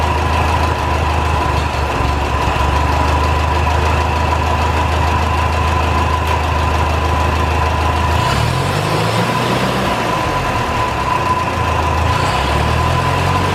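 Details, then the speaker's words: 1949 Ferguson TO-20, Continental Z120 four-cylinder, first run after sitting 15+ years, carb inlet filter cleaned, no coolant: constant high whine over an uneven, lumpy idle wavering with revs; owner suspects bad generator bearings. "yeah that is fantastic wow sounds like the generator bearings are really bad though that sounded pretty rough"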